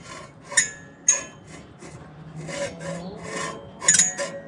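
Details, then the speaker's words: Rooftop gas-electric HVAC unit on a no-heat call: harsh, uneven scraping bursts from the draft inducer motor, which needs replacing. "is a no heat call right and you replace the fill oh yeah yeah needs a new draft motor"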